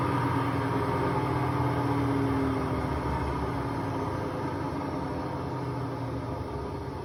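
Steady loud roar and rumble through the whole fast spin, a rough low drone that points to worn drum bearings.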